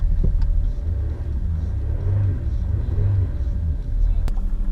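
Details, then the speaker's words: Jaguar XJ diesel just after fuel filter change, took a couple of seconds to start: steady even idle with low smooth beat, no knocks or misses, no warning lights; normal idle after repair. "job done ticking over lovely no warning lights except the bonnet is open and shut the bonnet and there we have a happy motor"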